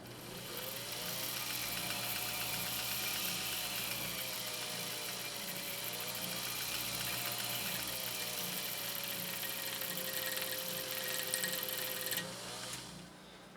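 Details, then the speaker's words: Japanese-clone 1.0 amp "Midwest" vintage vibrating-shuttle sewing machine winding a bobbin after servicing. Soft, even whirr with slightly drifting pitch and no knocks or rubbing; whisper quiet. Normal running. "And just listen to this machine run. It is so ridiculously whisper quiet now."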